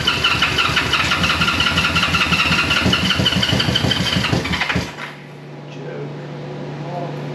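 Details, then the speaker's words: 1973 Honda CB350G twin, cold first start after fitting Mikuni VM28 carbs, auxiliary fuel tank: rhythmic starter cranking with occasional pops from both cylinders, nearly catching before cutting off; hard starting as fuel only just arrives. "yes popping getting close both sides"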